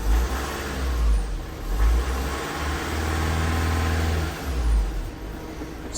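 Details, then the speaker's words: 2016 Ford Transit Custom 2.2 TDCi diesel, just after high-pressure fuel pump replacement and fault-code clearing: fires promptly, revs briefly, then settles to a steady low idle with no misses or knocks; normal start and idle. "struck up really well it's running"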